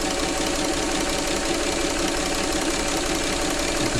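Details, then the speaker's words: Singer 237 sewing machine during service, after oiling the top only (bottom not yet done); quick, even mechanical chatter with light steady rhythm, no binding or knocking; running quicker and freer, belt may need changing. "You can sort of hear it as it sews, it becomes freer."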